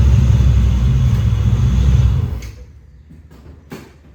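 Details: 1995 Chevrolet Z71 pickup, 350 TBI, 205,904 miles on the odometer, after a 4L60E transmission rebuild: loud, deep, uneven raw rumble at idle from the muffler with its whole back blown off.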